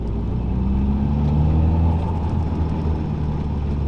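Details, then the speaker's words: Nissan S13 Silvia/180SX, SR20DET/CA18DET, driving in second gear after the driveshaft centre bearing was replaced: smooth low drone rising with road speed, no whine or hum. The driveline noise remains only in fourth gear (1:1), possibly diff backlash. "not really any noise."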